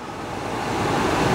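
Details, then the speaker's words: 2017 Kia Niro: steady, strong rush of air from the vents, the blower motor stuck on high even with the climate system off, stopping only when the vehicle is shut off. "it's off and the wind is still coming out it's always on high no matter what even if I turn it on try and turn this down it doesn't matter it's on high"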